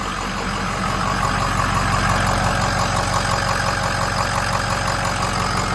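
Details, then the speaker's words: 6.0 Powerstroke diesel after fixing a high-pressure oil leak that caused a hot no-start (oil above about 140°F): restarts after 10-second crank cycles and holds a steady, even idle with usual injector clatter, no stumbling or misfires; normal idle. "That's gonna close this video up. It starts good and starts back up good,"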